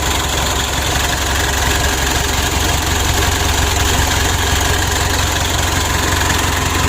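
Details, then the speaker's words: Mitsubishi Pajero Sport Dakar DI-D diesel being checked after overheating, just started: a steady idle with a thin, constant high squeal over the clatter, from the drive belt slipping because it got wet; it is left to dry. "mesinnya sudah hidup di sini ada terdengar suara panggil ya bandelnya itu terkena air itu ada bunyi ini"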